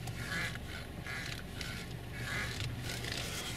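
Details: Honda CR-V steering wheel gives a repeated rubbery squeak about once a second when turned slowly; owner suspects sand or dust from the seaside got in.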